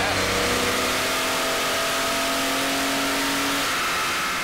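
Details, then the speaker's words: Stock 1978 Datsun 280Z, fuel-injected inline 2.8 litre six, on a chassis dyno under load while getting up to temperature; steady even note climbing smoothly, no knocks or misses; normal, about 123.67 hp. "It runs like glass. Oh, it runs like this. Smooth, you can't even tell it's really running. It's really nice."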